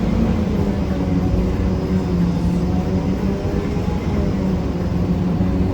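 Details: Riding aboard a 1993 Gillig Phantom 35' bus (Cummins ISM, Allison B400R transmission) in service. A constant low rough grinding sits under the diesel drone through the whole ride, changing little with speed; the rider suspects the transmission, unconfirmed.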